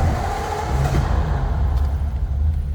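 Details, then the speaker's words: 1940 Ford Deluxe two-door sedan, flathead V8 with electric fuel pump and push-button start: cold start where the engine catches at once and settles into a deep, steady burble with no misses or knocks; a normal cold start. "the flatty fires right up. Here's the old fuel gauge came up. Temp gauge is going down because that was a cold start."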